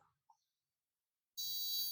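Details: Ford Figo 3-cylinder engine (MIL/ABS lights, P0500) during an injector actuation test on the third injector: after silence, a steady high buzz starts abruptly and holds evenly, so it fires properly. The second-cylinder injector coil was found weak.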